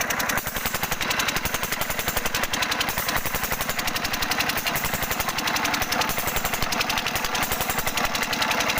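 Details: 5 HP single-cylinder diesel engine (Usha/Kirloskar/Fieldmarshal type) with a sound problem; nozzle adjustment discussed as the fix. Hard steady knocking about 220 per minute over a rough beat; cause suspected, not confirmed.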